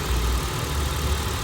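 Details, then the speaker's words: Honda Civic FD K20 after the fix for long cranking (rusted fuel pressure regulator); rail pressure is now held. Short stretch of low, steady, even idle with no misses or knocks. Normal idle. "ตอนนี้ติดแล้วติดเลยติดติดแล้วดับสตาร์ทเครื่องใหม่ก็ติดง่ายค่ะ"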